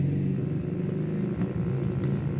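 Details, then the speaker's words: Advance Digital K1500 active speaker with the wireless mic board connected, 8 V VCC measured present and not dropping: a steady low drone with a few overtones at an even level. "Oke, masih ngebrum di sini VCC 8 volt apakah hadir ya?"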